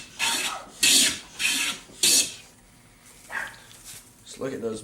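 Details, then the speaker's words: Stanley No.6 hand plane with a new shop-made knob and tote: four crisp, even rasping strokes about a second apart, a sharp, well-set plane taking full shavings. "I made in voids with the new handle or knob and tote ooh yes please nice shaving"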